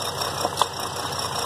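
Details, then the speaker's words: 2003 GMC Envoy 4.2 V6 with a sudden bad misfire: uneven idle with irregular stumbles and pops as one cylinder is dead. Owner first suspected the spark plug; the cause turned out to be a bad coil pack. "I think the coil pack is working because it does change the Otto but I think we have a dead spark plug right there"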